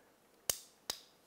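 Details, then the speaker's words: Honda Rancher 420 ATV won't turn over; new starter relay/solenoid plugged in gives two sharp crisp clicks on pressing start, engaging properly, suspected bad original solenoid. "if it was energizing properly you'd hear it click now actually i've got a new one over there we're going to plug in and then you'll hear that click that i'm talking about"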